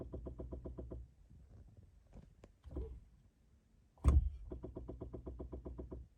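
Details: 2017 Chevy Bolt brake booster, on delivery within warranty: quick bursts of light clicks, about eight a second, coming and going with quiet gaps; cause suspected, not confirmed.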